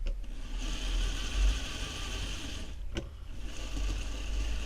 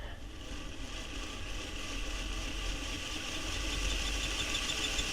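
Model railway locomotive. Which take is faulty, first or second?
second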